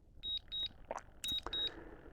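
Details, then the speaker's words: DJI Mini 5 Pro drone returning home after a waypoint mission: pairs of short high beeps about every half second, with ticking over a faint motor hum. Normal return-to-home warning beeps. "I don't know if you're going to hear the ticking or not, but there is a ticking sound, which ticking and beeping, which I really I don't dislike."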